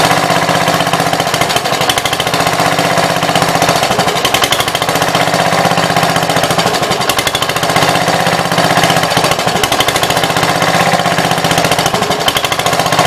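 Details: 1966 Gravely C10 single-cylinder after no-spark fix by switching to a battery ignition coil: steady, even fast beat with no misses or knocks; healthy running engine.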